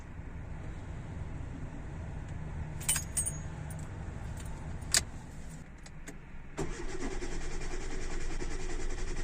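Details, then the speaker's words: Hyundai Getz after fuel pump and filter replacement, cranked on petrol: steady low starter churning with keys rattling, engine turns but won't catch until the new pump primes and fuel arrives, then runs; owner suspects pump only runs while starter engages. "бензину там Поки що нема тепер є коли система вже накачалась все працює"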